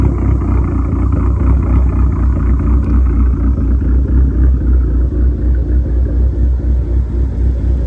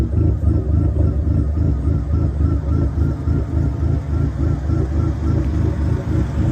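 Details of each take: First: SRT-4 with big cams and big turbo, after tune adjustment raising idle rpm by 100 for smoothness: deep, even rumble with a steady lope of about four pulses per second and no misses; normal, smooth idle. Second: Dodge SRT4 with big cams, big turbo and much larger injectors, first idle after a new starter, on a rough preliminary injector tune: loud, choppy, lumpy idle pulsing unevenly about three beats a second; rough idle from unfinished tune.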